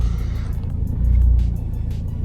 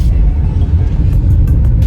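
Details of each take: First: 2011 Vauxhall Astra 1.7 CDTi common-rail diesel that stalls and surges, worse when cold, during a rail pressure test around 180 MPa: idle rises and falls in slow waves about every 1.4 seconds; rail pressure not controlled, suspected fuel pressure fault. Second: 2011 Vauxhall Astra 1.7 CDTI common-rail diesel with stalling and surging when cold: deep, even rumble under revs and on a road test under load, no dips or hunting; no longer surging.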